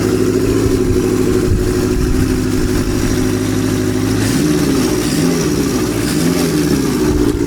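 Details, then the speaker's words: Kawasaki Z650B in restoration, idling after a carburetor fault was traced to one carb: steady, even four-cylinder burble, loud from the baffled Delkevic exhaust, no misses or hunting; idling cleanly and healthy. "sounds pretty good foreign happy with that I'm actually quite surprised how loud this delcovic exhaust system is even though it's got the baffling"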